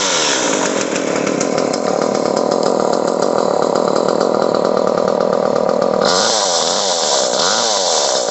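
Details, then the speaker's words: Echo CS-303T chainsaw that bogged on throttle, after turning the H carburetor screw out half a turn. Steady, high-pitched two-stroke buzz holding revs without bogging or stumbling, then settles; running cleanly, possibly slightly rich. "That turning it out that half a turn made all the difference in the world. This thing runs, idles, does fine now."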